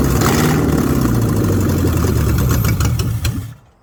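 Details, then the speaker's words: Ford Mustang 302 V8 pulled from barn, float bowl filled, sticking throttle freed: smooth burble with a quick throttle blip, steady, no knocks or misses before shutting off; oil pressure 50 psi, running healthy. "We know it runs. Actually runs surprisingly well. It'll sit there and idle."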